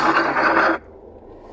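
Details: Car AC blower motor with leaves or debris collected in fan cage: harsh scraping rattle from the blower for under a second, then drops away.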